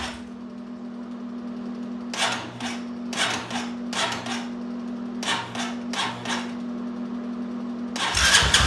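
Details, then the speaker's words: Engine cranked with charger on about 250 A jump start: slow, labored cranking in uneven bursts that never catches; owner blames a junk battery; crank no-start. "so [Music] okay all right guys so as you can hear um in that video it's just not gonna do it i'm gonna say that battery is just junk"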